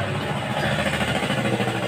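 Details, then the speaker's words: 2015 Honda Scoopy scooter idling after replacing the piston and honing the cylinder scored by oil starvation from irregular oil changes: even, soft regular putter with no knocking or rattle; engine smooth again. "dan hasilnya sudah mantap suara mesin menjadi halus kembali seperti semula"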